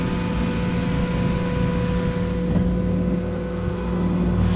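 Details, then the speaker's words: CompAir L11 fixed-speed rotary screw compressor, 208 V three-phase, with dryer, just started and building pressure: steady, even motor hum with low drone and airy hiss, no knocks or rattles. Normal running. "simple on off dryer controls for the compressor turn it on the motor started up"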